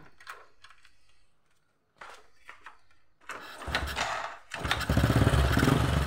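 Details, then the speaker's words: Old Honda Supra X after replacing the weak spool (stator coil) with a new one: big spark, and the original old plug that would not start it on the old spool now starts it readily after a few clicks, settling to a steady putter. "Oke teman-teman, dengan menggunakan busi lama aja udah bisa hidup ya, dimana yang awalnya tadi dengan menggunakan spool lama busi ini tidak bisa menghidupkan motor ya."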